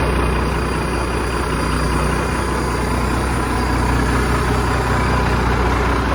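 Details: 1987 Ford LN9000 house-moving/wrecker truck, diesel, just revived after sitting in a field about 20 years: steady heavy diesel clatter at an even idle, no misfires or knocks, nothing else in the background; healthy idle.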